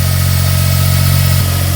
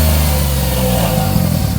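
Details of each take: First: 2004 Smart ForTwo 450 700cc turbo petrol, rebuilt engine, just after replacing the cracked exhaust/catalytic converter; cold engine idling high, steady even low hum, no rattle or whistle; healthy. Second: Smart ForTwo 450 with rebuilt engine and cracked, failed original exhaust/catalytic converter: revs then a loose, uneven chuffing, whistling and rattle at idle, an exhaust leak from the cracked exhaust before replacement.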